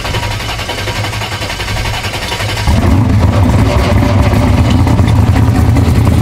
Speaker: all right guys if you guys hear a hellacious rattling sound it is the torque tube in that car it's got some like ridiculous billet rpm torque tube and that's what you guys are hearing so as soon as it comes off idle it goes away